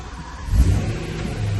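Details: BMW E92 M3 S65 V8 after starter motor replacement: first start catches straight away, then a deep rumble swelling on quick throttle blips and settling smoothly, no miss or knock; healthy engine.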